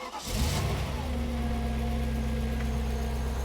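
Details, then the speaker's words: Audi C5 RS6 V8 cold start after sitting a month, on new aftermarket (Chinese) cam chain tensioners fitted with cam belt; engine catches and settles to smooth, even idle with no rattle; healthy cold start. "Well, as you can hear from that, not a single rattle. So I'm super happy there."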